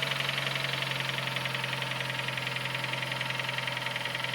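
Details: Nissan Note HR15DE engine at idle, cold; sharp, ringing metallic tick around four per second over the idle, appeared after cleaning injectors and intake manifold with carburetor cleaner, softens as it warms; swirl flap checked not rattling, cause unknown.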